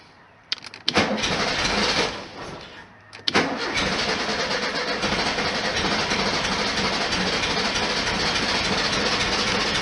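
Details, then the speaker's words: 1973 VW Super Beetle after spring maintenance (new plugs one heat range hotter gapped .040", throttle linkage balanced, wires replugged), in neutral, no throttle: brief crank, stumble, restart, then steady even chugging idle — normal cold start and idle. "So I'm not putting my foot on the gas or anything. It's just a cold start. Yeah, it was quicker than I thought it was going to be."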